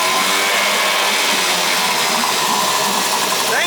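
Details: Two-stroke outboard motor running in a test barrel after a no-start, fixed by priming fuel into the carburetor: fast, busy buzz at steady speed with no stumbling or dropouts; running properly.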